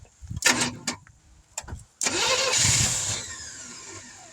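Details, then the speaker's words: 1971 Chevrolet C10 after sitting for decades, outdoor start, distributor roughly set, a little fuel poured in, no fuel pump: short cranking bursts, then it catches with a roar and fades within a couple of seconds. Owner guesses not enough fuel. "She acts like she wants to run, so I guess we got a few things in here going for us. Oh, my guess is not enough fuel."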